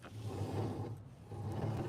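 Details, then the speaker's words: Sole F85 treadmill, drive belt removed so the motor is eliminated: hand-spinning the rear roller still gives a coarse, low rumbling growl that swells and fades with each spin, so the rear roller bearing is worn. "definitely a lot of noise coming from that rear roller as well so what we've done is we've eliminated the motor from the equation and we still have noise so we know we at least have a bad rear roller there"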